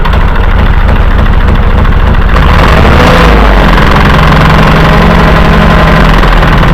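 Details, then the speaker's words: Tractor with loader removed: engine runs steady while a loose, uneven knock comes from below, the hydraulic pump driveshaft spinning loose in its hole, not the engine. "so that there's a knock real bad but it's the hydraulic pump there on the bottom they just cut the loader off of this thing and and that's that shaft spinning in the hole"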